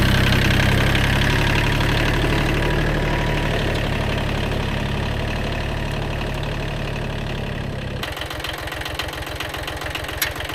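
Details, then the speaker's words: Kubota B7100 diesel tractor idling with steady low chug and even firing after replacing chewed-up gearbox gears and bearings; earlier gearbox noise gone, no grinding or whine, normal running. "so the Moment of Truth we'll uh start up and see if that noise is gone that's way better no more noises"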